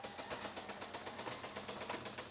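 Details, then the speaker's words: Pioneer CLD-909 LaserDisc player, fine at power-on until eject pressed: fast regular ratcheting clicks about eight a second with light mechanical chatter; laser sled mechanism binding, tray doesn't properly eject. "And that seems to be when it starts to run into problems."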